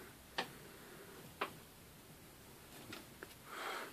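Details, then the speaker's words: Morris Minor engine, head removed, each piston rocked by hand in a quiet shop: a few sharp isolated clicks showing slack in the big-end bearings on numbers 4, 2 and 3, with very little bore wear. "Number 4 and number 2 and 3. A bit of slack in it. And slack in that one."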